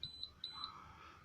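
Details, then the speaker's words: Holden VZ Crewman with a Hayman Reece towbar, reversing sensor after the reed switch fix in the 7-pin plug, recorded inside the car: crisp high double beeps right after selecting reverse. Sensor beeping normally; repair successful. "Reversing sensor good to go."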